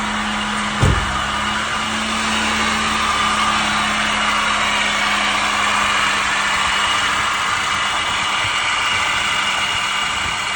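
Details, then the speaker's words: 2006 Chevy Malibu LT Maxx 3.5L V6 idling: steady whirring squeal over the engine hum, dropping slightly, from a worn water pump bearing (not power steering, which is electric); pump, pulleys, tensioner and belt replaced. "It comes down a little bit, but believe it's got to be the water pump."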